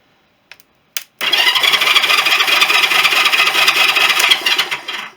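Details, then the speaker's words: Honda CB350 after engine rebuild, battery wired direct to starter motor: smooth even whirr for about four seconds, earlier screech gone; starter clutch fixed by replacing wrong roller springs. "Which, yes, it does. Not getting that horrible draunching noise that I was getting before. So yeah, looks like that should be okay now."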